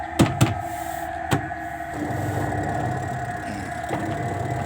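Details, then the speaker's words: LG twin-tub washing machine spin-dryer tub after reassembly: a few thumps, then a steady, even motor hum as it spins up fast. Normal spin-dry. "อันนี้ก็ปั่นเร็วมาหน่อยเพราะว่าอันนี้มันเป็น2ระบบนะครับ"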